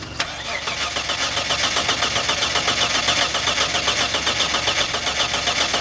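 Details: Mitsubishi Shogun V6 engine: steady, rhythmic cranking at about two and a half beats per second that never catches; turns over but won't start.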